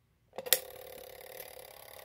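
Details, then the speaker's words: Vintage Couch coded fire alarm pull station (code 2652), spring-driven code wheel starting as the pull lever is released; sharp snap at release, then steady fast clockwork ticking runs evenly; normal operation. "i'm going to go ahead and let go of the pull lever and you hear start the you'll hear the code wheel starting up"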